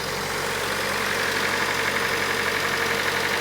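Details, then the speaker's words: Datsun 510 with twin SU carbs after fixing fuel overflowing from the top onto the hot exhaust, started on a jump pack; even idle with smooth steady intake hiss, no misfire or stumble; normal idle. "Sounds good. Sounds very, very good. So, before it was just pissing out the top down here and obviously going straight down onto the hot exhaust."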